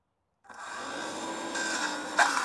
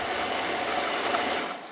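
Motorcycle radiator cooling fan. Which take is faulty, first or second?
first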